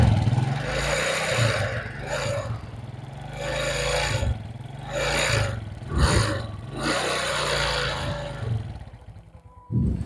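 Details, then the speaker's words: Suzuki Smash carbureted single, started and revved in short bursts: stutters and breaks up each time the throttle is opened gently, then sags; also fouls plugs black and uses much fuel; carburetor suspected, not confirmed. "Jadi tiap di tarik gas pelan-pelan itu langsung suaranya merebetnya jadi kelihatan sekali"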